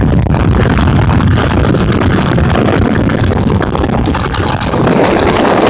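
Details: 2005 Ford Expedition 5.4L Triton V8 with a failing transmission forward clutch: fast, loud idle with busy clatter over the low rumble; valve train clacking suspected, cause not pinned down.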